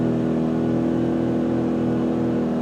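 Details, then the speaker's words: New Duromax XP2000EH dual-fuel inverter generator, after 5-hour break-in, powering an RV microwave: steady drone rises and holds firm, no hunting or stumbling. Normal running under load. "but it's able to do it. Electric water heater, no problem."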